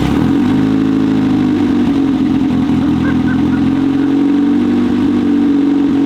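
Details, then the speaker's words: Mazda Miata drift car, fourth engine, started after work: cranks and runs rough and uneven with a strained droning note and no clean idle, same sound as when it previously jumped timing; timing jump suspected, not confirmed. "Well, that's about the sound it made when it jumped the timing the last time."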